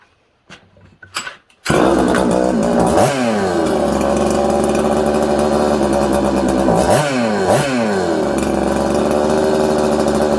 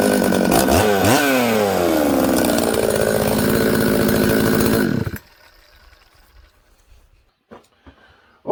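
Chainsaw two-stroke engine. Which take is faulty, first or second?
first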